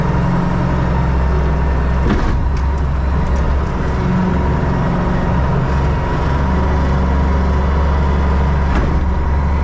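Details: Diesel loader running after hydraulic hose reconnected and oil refilled, wheel turned to bleed air: steady, deep drone at even speed with faint constant hydraulic whine underneath; running normally, nothing abnormal.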